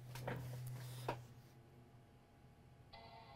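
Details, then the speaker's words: MacBook Air with integrated RAM, previously three beeps and no power-on: after reflowing eight RAM chips, handling clicks over low hum, then clear normal startup chime with no error beeps; fixed. "it turned on the beep is gone it turned on I do not have a hard drive connected but we did hear the chime and the problem is fixed"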